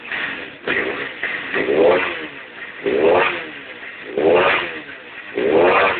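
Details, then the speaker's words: 250cc D7 after a misfire was fixed by crimping down a small clip: single revs rise and drop back about every second and a half, firing crisp and even with no stumble; running healthy. "okay so after uh cramping down that little clip she runs like a dream"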